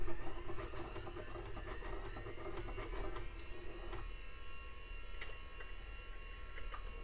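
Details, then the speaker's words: Compaq Presario 4240ES desktop, first power-on after cleanup (no power button, mains applied): DVD drive makes uneven clicking and scraping over a steady low hum while spinning up, abnormal optical drive noise, and the system then rebooted. "Some strange sounds out of that DVD drive. And it sounds like Bigfoot's struggling."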